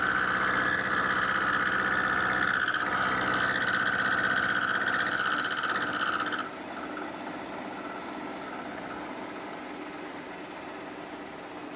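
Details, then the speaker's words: Milling machine cutting a tailstock die holder tang: loud high ringing chatter from lack of rigidity, then quieter, steadier cut once an angle plate supports the overhanging workpiece in the vise; climb milling. Normal cut after fix. "Well, it's definitely better. I've got to be careful because I'm climb milling here as well."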